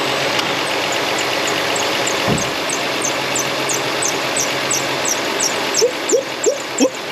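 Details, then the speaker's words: 2004 Toyota Sienna, over 150k miles, idling: quick repeating high chirp about three times a second with squeals joining later; belt deflection and tension correct, AC compressor starting to seize and dragging the belt. "woof all right we got an ac compressor starting to seize up belt deflection is good and uh yeah it's at the correct tension that belt"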